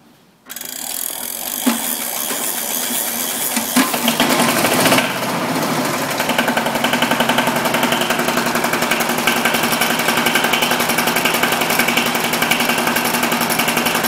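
Cranks briefly, catches cleanly and settles into an even, rapid diesel clatter with no misses: a normal cold start.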